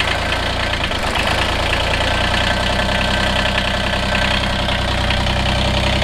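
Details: Kubota BX diesel tractor after shutting down, fuel filter removed and fuel delivery checked, fuel stabilizer added: even, steady diesel clatter at constant idle with no misses, hunting or stumbling; idling smoothly.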